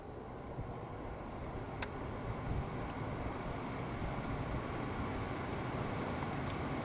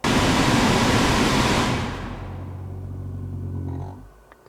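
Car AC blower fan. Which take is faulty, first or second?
second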